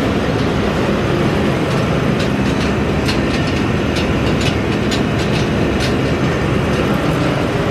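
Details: Massey Ferguson 40 combine (possibly 1996), sat 3 years, fuel and electrics refreshed; steady heavy diesel roar with constant rattling from the shaking machine, even and unbroken, no knock; normal running.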